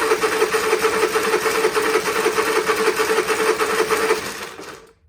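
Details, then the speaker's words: Honda EU30is inverter generator, untested auction unit, choke off then pull start: fast, even rattling tick about three per second for four seconds, coughed once, no catch; harsh cranking, no start, cause unknown. "that did not do anything did it um it coughed once and no more"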